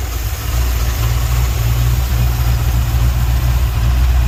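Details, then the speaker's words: Sweptline truck's vacuum-secondary Holley after ultrasonic cleaning and rebuild, air cleaner off, owner suspects a couple of fouled plugs: deep, even V8 idle with no stumbles or hunting, a definite improvement. "put it back together, and it's better. I'm happy."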